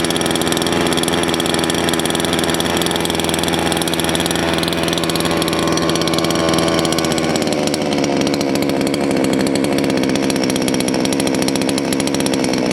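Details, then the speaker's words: Salem Master chainsaw, carb low-speed screw turned too lean at idle: idles fast and buzzy, revs shift and settle, chain creeps; idle mixture too lean, chain should be stopped at idle, less top end. "okay if you noticed when i leaned it out a little too far it sounds like sun's getting really happy but actually it won't have as much top end and you notice the chain started to move that's not where you want your idle"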